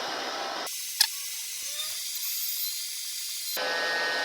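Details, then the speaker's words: Pickup radiator after leak repair and strengthening ties, pressure test: thin steady hiss starts and stops cleanly as the radiator cap releases pressure; no leaks seen, cap venting normally. "And you can hear the radiator cap releasing, can't you?"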